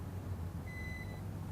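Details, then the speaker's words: Bayangtoys X16GPS quadcopter with stock 2200mAh battery, just landed, transmitter switched off: single clear high half-second beep over low rumble, reminder that the battery is still connected. "You never hear that beeping. That means there is a battery in there and it's letting me know."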